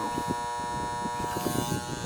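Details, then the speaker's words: Air conditioning condenser unit during annual maintenance; contactor humming away with steady fixed-pitch buzz and faint clicks, no compressor running, due for replacement; capacitor reading low (32 vs 35) also to be changed. "So that's gonna be changed. And I gotta change this. This thing's humming away here."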